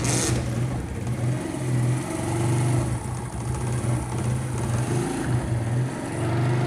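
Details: Motorcycle single just started after fitting a new ring and piston, left running to heat up while oil burns off as smoke: settles into a steady, even low putter at idle with no knocks or rattles.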